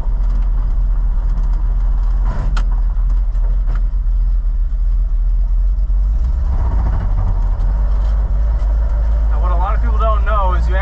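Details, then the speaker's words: 1947 Ford coupe V8 while driving, shifting after double-clutching into first: deep uneven rumble, beat stumbling and dropping out under load; engine skipping/misfiring, cause suspected, unconfirmed. "so oh man sounds like the engine's skipping quite a bit"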